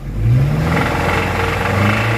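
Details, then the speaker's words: 2013 Toyota Innova 2.7L VVTi petrol: normal at idle, but with throttle a heavy low knock starts and is loudest between 2000 and 3000 rpm, vanishing on releasing the accelerator; sounds like crank connecting rod knock, engine condition poor. "अब चली गई accelerator छोड़ते ही sound गायब तो यह जो sound है इस तरह की साउंड है वह सिमिलर होती है क्रैंक के कनेक्टिंग रोड के"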